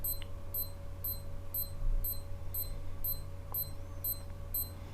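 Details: Salvimar One Plus freediving watch in pacer mode, interval set at 60: short, high, evenly spaced double beeps over a quiet room; pacer beeping normally.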